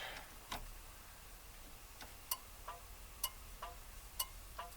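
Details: 1959 Mercury Monterey, dormant for a decade, ignition newly wired with solenoid and switch, key on and engine not running: crisp paired ticks about once a second, steady and even; turn signal flasher working normally.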